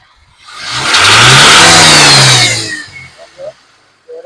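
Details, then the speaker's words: Toyota petrol engine after a misfire was fixed: revs up cleanly and settles back, firing evenly with no stumble or miss, where before it shook and fired poorly. "As you can see, the vehicle has start one hand and fire very well."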